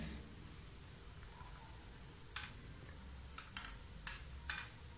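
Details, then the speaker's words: Italika motorcycle front wheel after fixing brake noise by working on Allen-bolted parts: quiet with only a few light clicks, no squeal, brakes well; normal. "pero miren ahorita ya no rellena nada ya no hago nada todo está muy bien"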